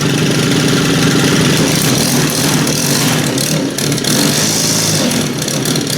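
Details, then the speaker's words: STIHL FS90R/FS111R two-stroke string trimmer just after servicing: it fired right up and idles still a little cold, with a slightly uneven, lumpy burble but no knocking. The engine runs fine. "So, but that seemed to fire right up."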